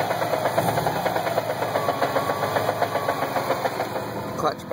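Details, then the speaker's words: Subaru WRX, near-stock engine at stage 2 (intake, exhaust, Cobb Accessport), new Exedy stage one clutch with 1400 miles: fast loose rattle, three or four knocks a second over idle with clutch engaged; owner suspects broken disc spring or bad throwout bearing. "I'm going to take the foot off the clutch to engage it and that's the noise"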